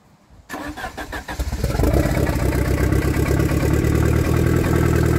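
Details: 1993 Saab 9000 CD, first start after sitting about a year, with new battery and exhaust removed: cranks a second, catches, settles into a loud, raw, blatty unmuffled idle; loud because exhaust system is off.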